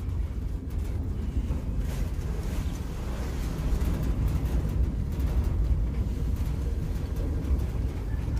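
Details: New Centurion D10 sliding gate motor during limit setup, running fast after slow runs to both end stops; steady low drone, even travel with no knocks or grinding, normal gate motor run.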